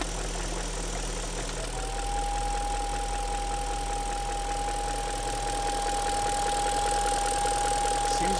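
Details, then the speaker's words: 1999 BMW 540i with M62TU V8 at idle: a steady high whistle that seems to come from near the manifold, and gets quieter when the back cap of the diaphragm is covered. Suspected vacuum or intake leak. "I know if you can hear this, but there's a definite whistle or some"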